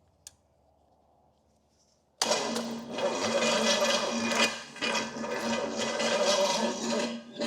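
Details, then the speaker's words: $500 used Pontiac 455: after a click the starter whirs on at a steady mid-pitch whine and keeps running after the key is released. Owner suspects the switch locked up or the solenoid contacts were arcing together. "Wait, what's it doing? It just kept going on its own. That was weird. Okay, now it's working right. It's like my switch just locked up."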